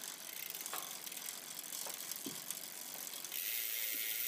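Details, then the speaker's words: Campagnolo 11-speed drivetrain, slightly dirty, chain in the worst rear gear with the front derailleur guide not touching: scattered ticking and loud buzzing from the rear as the cranks turn, with hard vibration felt through the pedal. Chain buzz, cause unknown. "and here we are just buzzing like mad back here the budging that you're hearing is coming from the back"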